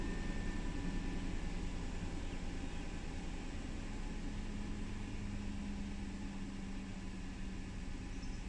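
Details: Lexus LX470: low idle rumble that wavers and stumbles unevenly instead of holding a steady beat; the rough idle is being repaired DIY and its cause is not yet clear.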